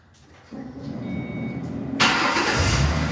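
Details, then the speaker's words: Engine cold start after reassembly and coolant refill: starter spins about 1.5 seconds, catches cleanly, smooth idle with no timing chain rattle that was bad before the repair. "oh my goodness that is so much better [Music] before when I started you could hear the timing chains rattle like bad"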